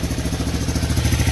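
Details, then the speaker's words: 200ES Big Red single-cylinder after rebuild, frame swap and exhaust leak fix, new rings breaking in: steady even idle thump, no real noise, no timing chain slap like most 200s have; some smoke, possibly steam; healthy. "no real noise that sounds pretty good no timing chain slap like most 200s have"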